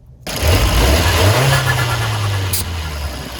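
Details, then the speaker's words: Fiat 124 Spider Abarth turbo with a Forge atmospheric blow-off valve: the engine blips up and drops back with only a faint, brief puff instead of a full whoosh. The valve is barely venting, traced to a kinked hose. "and that does not sound right so this issue in my example is with a forged atmospheric blow valve and it's on my car which is a fiat 124 spider barth"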